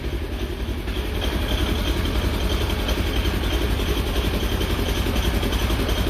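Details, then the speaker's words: 2016 Polaris Ranger 900 XP just after one-way starter bearing and gear replacement (previously slipping on cold starts), radiator air bled: steady even idle, smooth thrum about three to four beats a second, no knocks; running fine. "right we'll let it run for a little bit and we'll get see what happens it's running though"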